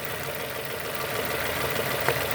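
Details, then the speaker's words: 2002 Nissan Almera N16, QG18 cable-throttle engine, idling after swapped cylinder 3 and 4 ignition coil connectors were corrected: even, steady idle with no stumbles, all four cylinders contributing, misfire gone. "1 contributing. No more misfires. All because they mix up this and this."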